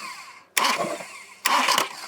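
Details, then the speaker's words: Cranking on a VW Passat TDI bought with a no-crank/no-start fault after the engine suddenly died while driving; it cranks briefly, then stops with a hard clunk. Starter ring gear looked fine; owner suspects dual-mass flywheel or broken transmission internals. "if you listen take a listen here it cranks over for a little bit and then oh it hits we got something cranks over oh oh terrible"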